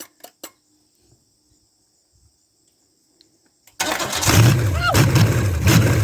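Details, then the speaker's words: Chevy 305 small-block V8 after swapping points distributor for HEI, no coolant: catches and settles into a deep, even rumble with smooth blips; runs healthy. "it's alive it's alive people will it idle can i get the flames"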